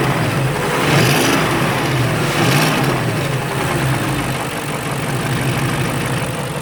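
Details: BMW X5 engine running with a couple of light revs and a faint, uneven puffing tick over the exhaust note while hunting for an exhaust leak; leak suspected, not confirmed.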